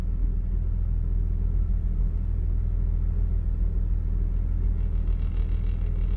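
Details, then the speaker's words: Jeep idling after repair, charging normally: steady, even low rumble with no hum or whine standing out; the earlier noticeable noise is no longer heard and the engine sounds normal. "I don't know, it sounds pretty normal to me."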